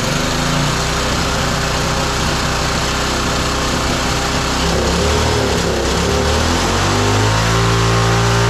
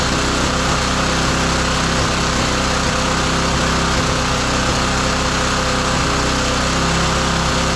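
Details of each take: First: Roadside-found lawn mower engine for the Tommy Gun mini bike (carburetor may need replacing): fast, steady run, even firing, no stumbling or surging; running normally. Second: Roadside-found lawn mower engine for the Tommy Gun mini bike, carburetor adjustment screw found turned all the way in: loud, buzzy steady-speed run with a slightly uneven beat, lean mixture starving it of fuel.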